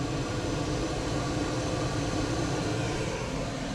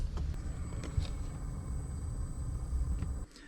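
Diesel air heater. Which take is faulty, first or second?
first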